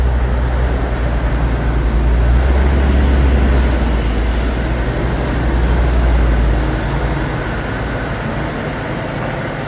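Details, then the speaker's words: 1986 Ford F150 straight six running after water pump replacement: deep, steady, even rumble with no knocks, squeals or misses; leak fixed, no more overheating. "took care of the leak no more overheating"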